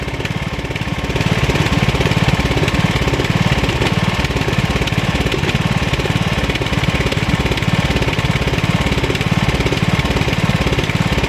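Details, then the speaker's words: 2003 LT1000 mower engine running warm: loud rhythmic knock about two beats a second; breather found broken, owner suspects head gasket since the noise acts up when warm and then stopped. "Yeah, it might be the head gasket making that sound. See how it's like, yeah, that sounds like the head gasket. It's acting up because it got warm."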